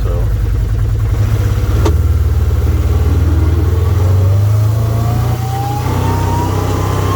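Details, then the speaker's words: 2012 Can-Am Commander 1000 XT under way, only in gear while travelling: howl climbing in pitch with speed over engine rumble, plus clanging; absent with machine lifted and belt cover off; drivetrain howling whine, origin unknown. "there's a howling or uh whirling noise maybe a whistle or something at first but then it you also get this clanging or something noise"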